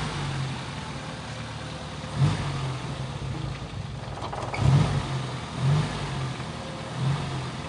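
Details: Toyota Kijang engine idling: low idle broken by irregular thumps and lurches every one to two seconds; engine running unevenly (pincang), spark plugs checked normal, so misfire cause not pinned down.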